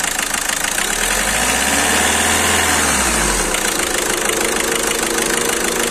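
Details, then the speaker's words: Skoda Rapid idling after repair of cylinder 2 injector circuit misfire, injector serviced and injector sensor replaced: smooth even idle with brief low rumble midway, no stumbling or misfire, problem solved. "Okay हो गया था और हमने एक इसका injector का [संगीत] centre replace कर दिया और इसका प्रॉब्लम सॉल्व हो गया"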